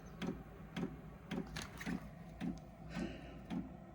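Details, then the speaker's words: Diesel workshop heater starting on a low battery: after the fan runs, soft, regular fuel-pump ticks about twice a second over a quiet background; glow plug has enough power, normal startup dosing. "sure you can hear the pump going"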